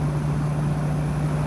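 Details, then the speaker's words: Unmodified old Toyota four-cylinder truck at idle, fan clutch still spinning: steady even low hum, no timing belt slap, knocking or valve ticks, exhaust manifold not cracked; perfect running example. "running good no timing belt slap no knocking no valve ticks [Music] it's a perfect running example"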